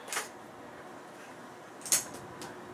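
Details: Rebuilt Trail XL1100 spring-piston air rifle, with new barrel sleeve and about half the moly lube removed: single sharp crack with quick clean decay, no twang or buzz. Healthy shot after rebuild.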